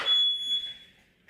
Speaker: Problem ha. Marumi ang smoke detector. Ayan sabi niya dito relaxation room.